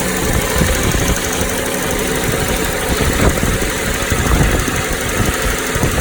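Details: Toyota Noah 60-series petrol engine at idle: irregular coarse rattle, not a tick, from the middle of the engine, not alternator side, louder inside cabin; unchanged after flushing and additives, cause unknown; engine rattle.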